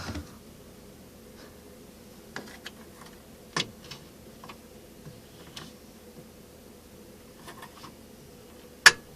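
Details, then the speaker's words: Mid-1960s (c.1963-65) Fedders 14,000 BTU Weather Wheel air conditioner: quiet low hum with faint ticks, then one crisp click as the thermostat switches over; normal thermostat click. "Typical thermostat. I wonder if you can hear it. You might be able to hear it click."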